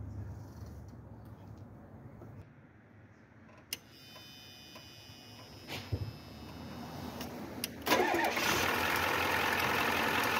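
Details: 1994 Ford F250 turbo IDI diesel started without air cleaner after replacing brittle O-rings on three of eight injector return lines: a few clicks, cranks, catches and settles to an even steady idle; no leaks.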